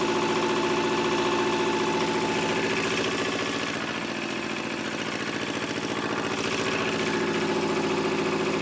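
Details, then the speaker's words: Old Shibaura diesel tractor that sat for years, with the top line cracked open while cranking: steady low chug with an uneven beat, almost running; owner suspects bad fuel, and it later ran then died from a fuel issue. "It's close. It's really, really close. I think it might be some bad fuel that's still in there."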